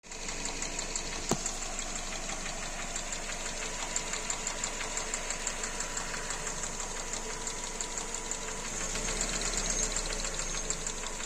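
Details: Kia Rio 2 with G4EE engine, engine knock: light, uneven ticking at about two per second over a quiet idle, a top-end knock whose cause can't be pinned down by ear.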